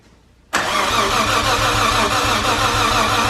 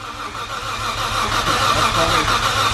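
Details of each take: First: R33 Skyline RB26 turned over on the starter for its first start after fuel check, priming oil: a steady, even rhythm for about four seconds with every compression beat alike; normal, healthy cranking. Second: Nissan Skyline R33 with RB26, first start attempt: even, steady starter cranking with regular churn and no firing at all; tester shows fuel present but no spark.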